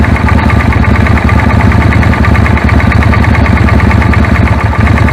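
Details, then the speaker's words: Suzuki Intruder idling: a faint irregular snapping tick over the firing beat, arc tracking inside the spark plug tube from a long, heat-cracked plug cap; moving the cap reduces it. "there you go you can you can hear it quite of the way and it reduces"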